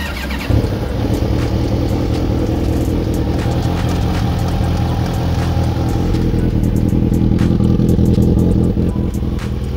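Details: Kawasaki ZXR750 after full wiring harness and CDI replacement, new pilot jets, 190/170 main jets, new valves and gaskets: four-cylinder idles and revs with a fast, uneven ticking knock.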